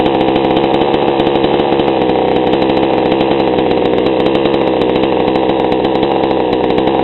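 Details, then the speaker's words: GoPed gsr40 two-stroke with 603 high-performance carb and TGN manifold, before low-speed adjustment: buzzy, slow, blubbery idle rather than crisp, idling barely and choppy; mixture too rich. "you see it idles barely real choppy ly idle it's definitely too rich so let's see what we can do"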